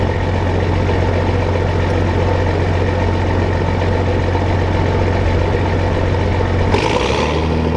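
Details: Old diesel in farm combine, hot day, warming up: deep even low rumble, no knocks or misses, note shifting near end; normal idle.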